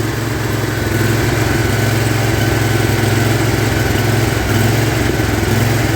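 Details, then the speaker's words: Big Toro lawn tractor with 50-inch deck after deck hanger repair, fuel path opened: revs rise and sag in slow swells at idle, the same surge as before; cause unclear, later mows with lots of power. "now that's what it was doing before with that surge i'm not sure i like that"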